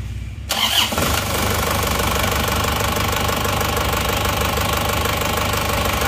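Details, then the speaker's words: Isuzu Panther diesel after rebuild with original pistons replacing the aftermarket ones, temporary thermostat housing fitted. A short crank, then it catches quickly into a steady, smooth idle with no knocking, far smoother than with the aftermarket pistons. "jadi ternyata suaranya suaranya sudah halus bagus perbedaannya sudah sangat jauh ya antara seer yang asli dan seer yang KW"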